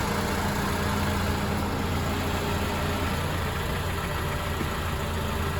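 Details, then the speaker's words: 2006 Honda Accord four-cylinder, about 200,000 miles, no customer complaint, idling with AC on and high-side gauge around 125 psi: a smooth steady idle with a faint constant compressor hum, no knocks or squeals; normal idle with AC compressor running. "the ac system on this vehicle should be functioning correctly this is a vehicle that has about 200 000 miles it's a 2006 honda accord with a four cylinder so no customer complaint right now no concerns on it"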